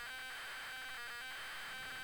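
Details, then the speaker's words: ZX Spectrum cassette loading from an unknown tape; a harsh buzzing loader tone breaks into irregular choppy bursts instead of a steady pattern; the signal is garbled and the game won't load. "Not enjoying this. This doesn't load, I'm going to find any game with the name man in the front of it."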